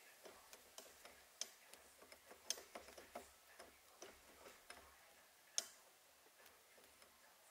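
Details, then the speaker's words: Creaking and ticking as the gear shifter is worked with the engine off, on the K20 sedan's innovative shift linkage; owner suspects worn or dry solid shift-linkage bushings, to be replaced with a B16 shift linkage. "you can hear is creaking and that's that I think that's because of the the bushing on the the shift linkage"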